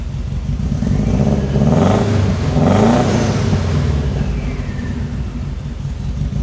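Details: Subaru WRX STI engine-swap car being diagnosed for a bad injector, shooting flames: revs rise and fall with an uneven, stumbling exhaust note and irregular pulses under throttle; misfire suspected from the bad injector, not confirmed.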